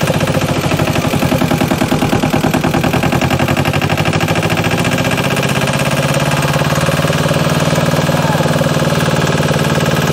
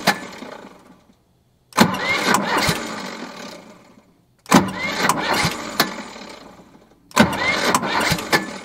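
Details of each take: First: JLG 40H diesel man-lift, first start right after bleeding the fuel system, before the planned oil, oil-filter and fuel-filter service: steady, even diesel clatter at idle with no misses or knocks. Normal idle. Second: JLG 40H diesel 4x4 man lift, fuel system not yet primed or bled: three short cranking bursts, each catching just enough to kick the starter out, then stalling; hard starting from lack of fuel.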